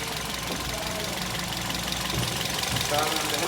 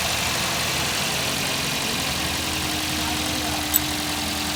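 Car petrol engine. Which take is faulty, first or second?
first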